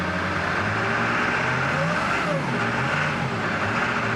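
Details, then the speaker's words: 1999 Ford F-250 7.3 Powerstroke diesel at 26 degrees, just after fuel pump and fuel filter replacement: uneven, lumpy idle with a wavering beat and shake, gradually smoothing as air is purged from the fuel system. "run a little rough which might start pretty quick here a little gas it's gonna be rough for a while get that air out of the system shaking a bit starting to smooth out a little bit"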